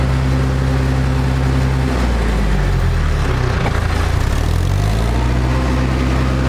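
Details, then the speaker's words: Restored International Harvester TD-7 Series C bulldozer diesel, out of gear, after restoration: deep steady drone with smooth dip and recovery in speed, even and strong; healthy, well sorted. "And I like the sound of that fan. Keep it cool."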